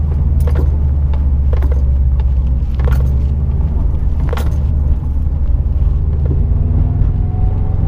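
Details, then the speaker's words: Rear aftermarket sway bar heard while driving over bumps and rocking the car; short sharp clunks every second or two over road rumble, from end link bolts loosening without lock washers and dry polyurethane bushings. "Basically, like every little bump that I'm hitting right now, you can just hear the rear sway bar just kind of just going clunk, clunk, clunk, clunk, clunk, clunk, and it's really annoying."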